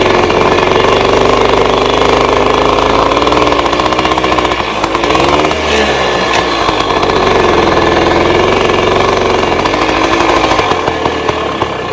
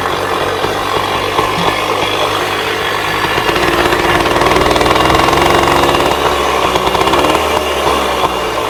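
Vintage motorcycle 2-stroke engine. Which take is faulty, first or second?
first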